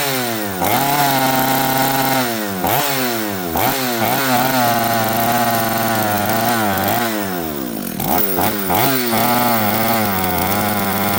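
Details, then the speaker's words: Chainsaw with the carburetor metering lever set too high and the jets leaned out heavily just to start it: it blips up and falls back, burbling heavily and never clearing to a crisp high rev; running rich. "Metering lever. If it's too high, these are your symptoms. Um, some saws will spit fuel out of here like profusely like that. Some saws just won't start. Some saws will not rev up or will not idle without holding throttle on it."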